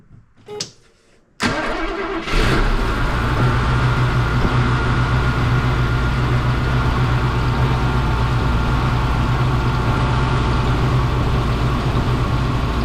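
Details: 1972 Mercedes-Benz 350 SL (4.5) R107 V8 with a fuel pressure gauge teed in: starter cranks briefly, the engine catches cleanly and settles to a steady idle with no misses; fuel pressure a steady 2 bar, as specified.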